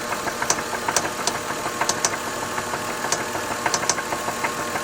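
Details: 2003 Lexus GS300 engine at quiet steady idle with irregular sharp taps, roughly one or two a second; knocking noise, cause unknown.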